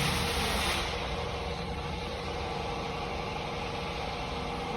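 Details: Hyundai i20 petrol after spark plug change and fault code clearing (had check engine light, misfire and vibration): even, settled idle with a smooth, unbroken drone, no shake or skip; all cylinders firing cleanly.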